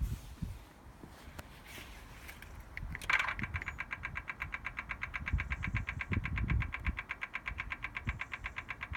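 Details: BMW M4 Competition Pack parked with ignition off: a fast, steady clicking that occurs intermittently from cold, starting as soon as a door or the boot is opened, before the ignition is started.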